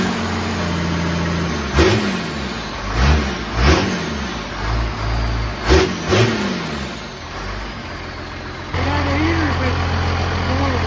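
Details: 1969 Dodge D200 Sweptline with a swapped 5.9 first-gen 12-valve Cummins (grid heater), cold start at 23°F in Missouri. Deep, clattery idle with several quick throttle blips that rise, fall cleanly and settle to steady idle: normal cold start idle and revving.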